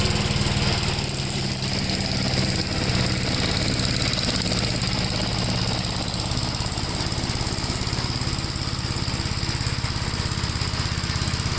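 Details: 1957 Gravely tractor during mowing test after air cleaner service; single-cylinder engine pulls steadily under mowing load, firing evenly at constant speed, no misses or knocks; runs healthy.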